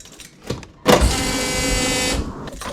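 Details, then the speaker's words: Volvo 240 at key-on: a shrill, steady whine for about a second and a half from a failing main high-pressure fuel pump, which made the car cut out and stall; the in-tank pump also failed. "Let's listen to this fuel pump. It's a very high-pitched whine, and you can hear it when I turn the key on."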